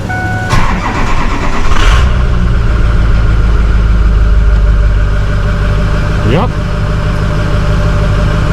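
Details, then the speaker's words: Ford 6.0 diesel truck sitting since 2018, first start: short crank, then it fires cleanly and settles into an even, steady idle with a burning-off smell; check-engine light was on. "H it runs woo smell some burning off on it"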